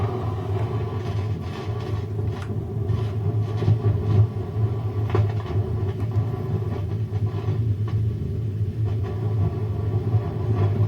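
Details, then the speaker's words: Ampeg V-4 amp revived after 16 years stored in a garage loft through freezing cold and heat: a constant deep hum drones with the volume all the way down, placed in the power amp section; exact cause not confirmed. "so that needs some help as you can hear from that speaker just and that's that's in the power amp section because that's that's what the volume's all the way down."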